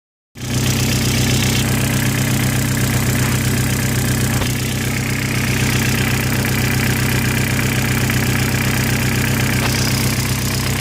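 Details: Audi/VW 1.8T engine with IE connecting rods, 27k km since rebuild, at steady idle with a repeating knock about four times a second; source unclear.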